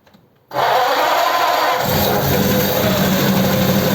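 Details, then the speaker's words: Holley 94 carb from Richard's Ford 8BA flathead pickup, run on another truck: catches sharply, then runs loud and stumbling as revs rise; carburettor only suspected, and it later needed full choke to start. "that's interesting isn't it so it looks like it might be the carburetor then because he doesn't want to run"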